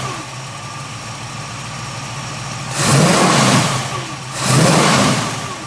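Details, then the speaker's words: 1967 Chevrolet Camaro with a 350 small-block Chevrolet crate engine, 650 cfm carburetor, Edelbrock intake, Borla dual exhaust: deep, lumpy idle, then two quick blips that rise and settle back cleanly; healthy V8, normal idle and revving. "So what we'll do next is go ahead and lower this down off of the lift, go underneath the hood, and we'll fire up that motor and let you hear what that crate motor sounds like."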